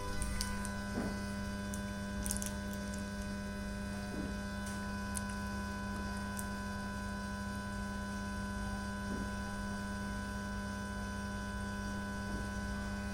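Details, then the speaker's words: Lepy LP-2020 stereo mini amplifier, faulty on delivery: steady mains-type hum with faint hiss at volume 0, persisting with TV and preamp off and audio input removed; the amplifier itself makes the noise. "Volume level is 0, but is hissing sound is still coming."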